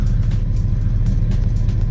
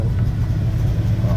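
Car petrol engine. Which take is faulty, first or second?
second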